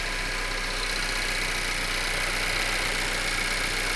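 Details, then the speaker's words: Wrecked 2023 Acura Integra with about 6000 miles, running after its flat original battery was dealt with following a long sit: smooth, steady idle with an even, quick beat and no misses or knocks. "As you can hear right now, the car is on, and you may be asking me, what did I do to get this car running? Well, the battery is flat."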